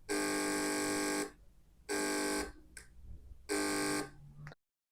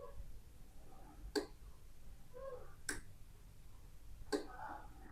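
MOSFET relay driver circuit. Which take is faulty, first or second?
first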